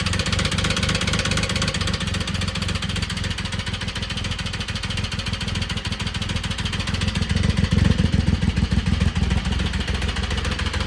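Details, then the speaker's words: 2006 Triumph Rocket 3 motorcycle on jumper packs, at idle: heavy, fast, very loud metallic knocking hammering steadily, seemingly from the top end of the engine; exact cause not confirmed; loud metallic knock at idle. "It's going to be very loud and you're going to hear a very very loud metallic uh knocking at idle or a metallic I guess I guess you'd call it a knock. It's definitely um not ideal."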